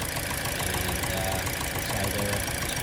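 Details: Petrol engine idling unevenly with a rough pulse; check engine and traction control lights on, code P0301 cylinder 1 misfire; coil swap from cylinder one to two planned to confirm faulty ignition coil.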